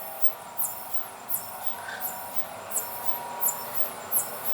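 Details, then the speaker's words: Pulse tube cryocooler on a dilution fridge idle since about 2016, just switched on with good vacuum, 50 K stage cooling to 263 K; soft rhythmic hissing chuff about every 0.7 s over a faint hum; normal pulse tube operation. "we just turned on the pulse tube you can hear the noise that's the pulse tube"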